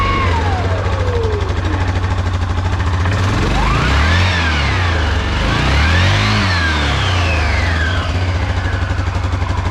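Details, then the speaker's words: Yamaha Grizzly 550/700 ATV after a full wet clutch rebuild with an OEM one-way bearing, some nuts not torqued to spec: the engine idles evenly and revs smoothly through several throttle blips without slipping, chatter or grinding; normal running. "Oh, perfect. That is exactly how a Yamaha clutch is supposed to sound."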